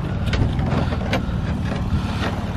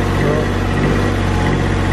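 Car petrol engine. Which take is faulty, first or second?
second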